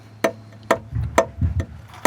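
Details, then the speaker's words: Airstream Rangeline, unleaded-fuelled Timberline heater running: sharp metallic ticks about twice a second from the small piston fuel pump. The pump is unshielded and bolted directly to a frame bar, so the ticking resonates through the whole frame, before any noise damping. "so you can see what they've got here is the fuel pump itself completely unshielded just sitting here mounted directly to this metal bar on the frame which forms a perfect resonating board so as the fuel pump which is a little piston fuel pump operates we get this constant"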